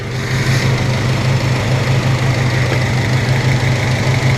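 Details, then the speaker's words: 1997 Honda Civic EX, D16Y8 VTEC, cylinder 2 misfire: idle stumbles about once a second; a foreign piece from a spark plug socket was stuck in the plug wire boot, and after removal it still runs rough because the boot is damaged. "let's see what happens now yeah it's still running like [ __ ] cuz now that boot's all [ __ ] up"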